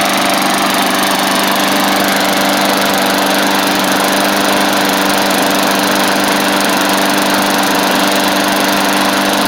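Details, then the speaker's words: Bolens push mower, Briggs & Stratton Classic engine after repairs including carb kit, just washed: steady even buzz at constant speed, no misses; runs great, owner hopes no water on the plug. "y'all heard it run just a second ago it runs great hopefully it don't have water on the plug but we'll see"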